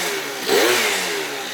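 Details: Yamaha BWS 70cc two-stroke scooter, freshly rebuilt, cold weather, first heat cycle: short crisp rev rising and falling cleanly with no misfire or stumble; sounds healthy.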